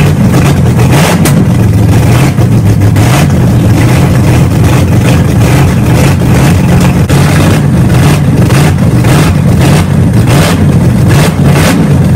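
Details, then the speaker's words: Car "Betsy", first running after 3.5 years off, new starter fitted, during camshaft break-in: loud, raw, steady low rumble at fast idle with no exhaust muffling, running evenly; normal running without exhaust. "so as you guys just saw we broke in the camshaft had the thing running had an idle and good we finally did it"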